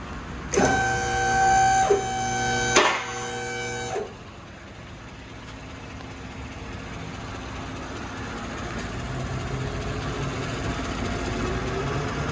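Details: Yukon after fuel tank reinstall and fuel line repair: a few seconds of chiming, then quiet steady low idle hum with no stumble or hiss; normal idle.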